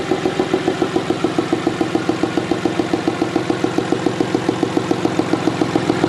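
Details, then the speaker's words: Freshly rebuilt 5.9 Cummins diesel in a Mega Cab, first start; steady, even clatter at about three and a half beats a second with no thud or miss, now getting oil and running much better; a healthy idle. "that sounds better no more St everything's getting oil all right as you guys saw uh she's now running way better just had some rocker arms that were too loose"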